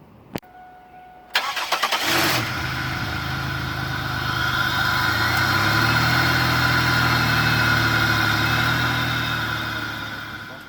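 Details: 2001 Pontiac Grand Prix with the GM 3800 V6, after cleaning the mass airflow sensor that was making it die: short crank, clean catch, brief rise, then a steady, even idle hum with no stumble or miss.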